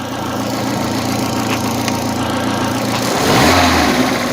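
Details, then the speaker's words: Opel Corsa 1.4i Utility, about 93,900 km, after restart with new Topran idle air control valve: even, steady petrol idle with a smooth low drone and a brief throttle blip near the end; idle control holding speed. Normal idle. "so so far it seems to be working according to what they've said"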